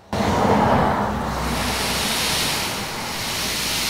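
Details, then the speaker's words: Audi TT intake pressurised with an air compressor and tester, engine off, servo vacuum pipe suspected: steady airy hiss from one side of the engine, near pipes above or under the inlet manifold, growing as the pipe is wiggled; boost leak. "right so it's definitely coming from the side here what i'll do is if we wiggle the pipe a little bit this is always usually a giveaway"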